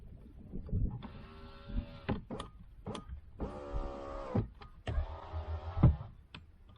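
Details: 2008 Jeep Liberty power window after replacing the window control: three smooth, even motor whirs with clean stops and switch clicks between them. The window runs up and down normally without strain.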